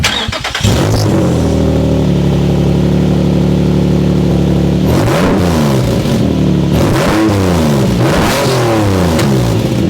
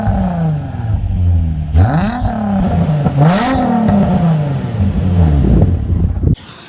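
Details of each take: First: Exhaust with a big hole in the flex pipe, engine running, mic held under the car beside it: very loud, raspy blowing that chuffs with revs, spitting from the joints; exhaust leak at the holed flex pipe, before the exhaust change. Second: Car after replacing an exhaust that had a blow, microphone underneath: deep, smooth exhaust rising and falling cleanly through several throttle blips with no rattles or leaks; a healthy exhaust.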